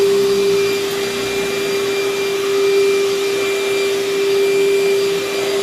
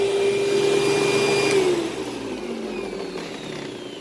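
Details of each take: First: Vacuum with good belt tension, minimal hair tangles, paper bag about a third full: steady even motor whine at one constant pitch, no rattles or surging; suction solid, running normally. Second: Older Panasonic paper-bag upright vacuum, bag about a third full, strong suction: steady motor whine sags and drops in pitch as the brush slows; the worn drive belt is slipping and needs replacing.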